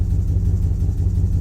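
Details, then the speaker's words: 2007 Chevrolet Silverado 5.3 V8 idling lumpy and stumbling with periodic dips; misfire persists after new injectors, intake gaskets and known-good coil packs; cause not yet found. "I pushed it in. Came right on. But still chasing this misfire. I don't understand it."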